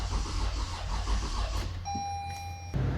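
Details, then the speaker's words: Toyota Avalon with hard-starting problem: rapid rhythmic starter churning with warning chime, RPM doesn't rise, never fires; crank no start, fuel pressure gauge then showed no fuel pressure. "Bale ang problema nito ay hard starting itong unit. So try nating crank. Ayan oh. Hindi gumagalaw yung RPM."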